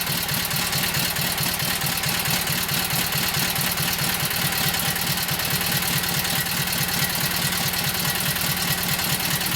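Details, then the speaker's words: Kohler KT17 twin after lost-governor rebuild, first start, no choke, warming up: steady, even twin-cylinder putter at low idle with no misses or knocks; runs smoothly, normal idle. "So no choke, just sitting in idle. Yeah, let's fire it up. Let her warm up there for a minute."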